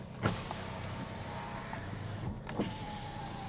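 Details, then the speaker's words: Salvage-auction vehicle with OnStar, parked about a year with a probably weak battery: power window motor whirs steadily for a few seconds and closes fully with a soft thump at the top; normal power window operation. "supposed to go all the way up there and close there we go there we go"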